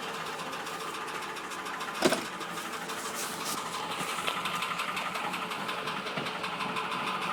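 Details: Ford Sierra 2.0 OHC carburettor engine: a light, regular ticking knock rides over a quiet, smooth idle; engine knock, cause not yet pinned down.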